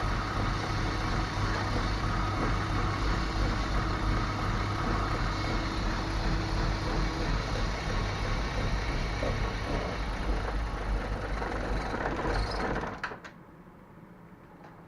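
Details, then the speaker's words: BMW E34 with GAZelle 406-engine fuel pump, fitted last year, droning very loudly, with loss of power at 5500 rpm and poor driving: loud steady drone over the even idle, stops with engine; clogged fuel pump strainer. "Короче, загудел как-то бензонасос, очень громко гудел."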